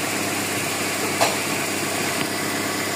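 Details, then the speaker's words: GLI car engine, cold start: steady even idle with smooth light hum, no chirping or ticking; the cricket-like noise is gone, the problem solved as the valve now draws vacuum. "Tsaka, tinan mo, wala nang ingay sir, halika. Ah, diba? Wala na yung kuliglig."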